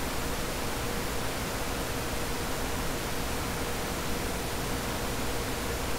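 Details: Dell CS24-SC 1U server, dual Xeon L5420, two of four 40mm San Ace fans removed: steady, even rushing hiss with no rise, pulsing or rattle; fans at normal base speed.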